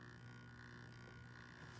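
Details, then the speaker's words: Hornby Tornado Express model locomotive, repaired after arriving broken, run at about a third throttle: quiet steady low growl with hum as the motor starts to crawl; rough running, cause not pinned down. "let's start forward oh sounds like it's growling why is it all right i am that's about a third of the throttle now"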